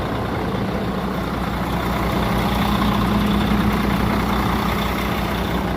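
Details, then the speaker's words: Cheap used semi truck with a Mercedes-Benz engine, bought as a possible spare or second truck; fires right up, steady even diesel rumble with smooth low beat, no knocks or misses, AC cold; normal healthy idle. "Fires right up, buddy. Cold AC up in there."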